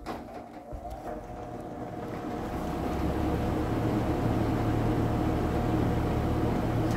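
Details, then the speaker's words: Vintage Sears Homart Cooler belt-drive window fan, 1/6 HP Craftsman motor, single porous bronze bearing oiled with 30 weight, started on high: hum builds over about three seconds then steady drone; slow start-up, owner guesses a centrifugal switch, unsure. "think when it's sort of slow there at the beginning there at first was the centrifugal switch kicking in or something like that"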